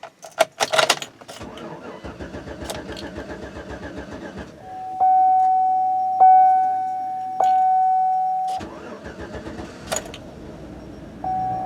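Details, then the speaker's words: 2007 Chevy Suburban with 2008 engine: starter cranks steadily for several seconds before the engine catches; hard start from a failing crankshaft position sensor, confirmed by two parts stores, to be replaced. "it started but the problem is the crank position sensor I took it to Advance Auto Parts and AutoZone and both confirmed that it was a crank position sensor"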